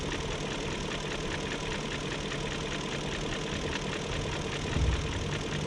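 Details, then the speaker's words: 2001 BMW E38 740i after timing chain guide, tensioner and chain replacement: light quick steady ticking over an even idle, no codes; owner suspects the VANOS unit, cause unconfirmed. "i don't know i guess it's just going to have a tick unless the vanoss unit's gone out"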